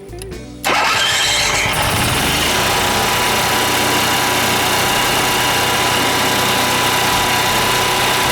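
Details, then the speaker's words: Class C motorhome generator that often would not start, after fixing the problem: silence, then it catches cleanly within a second and settles into a steady, even run with no misses or knocks; normal start and run. "on well that's it it was the sewing oil"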